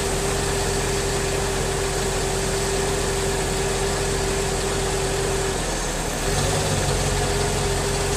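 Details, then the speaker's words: 2003 Mercedes S55 AMG, 186,700 miles, on ramps after ABC/power steering hydraulic pulsation damper replacement; system bled and suspension cycled. Even idle, constant mid-pitched pump hum, no gurgling or rising whine, less hydraulic whine than before: normal idle. "my car is much quieter it was about new pulsation damper there's less hydraulic winding sound"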